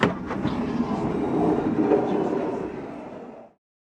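A smooth, even motor hum and rolling for about three and a half seconds, then a clean stop; the door runs normally.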